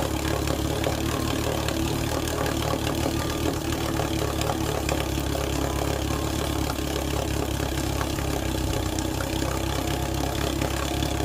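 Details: 1948 Sea King 5HP two-stroke outboard, first startup and break-in run after mechanical rebuild: steady even drone at constant speed, no surging, knocking or dropouts; normal running.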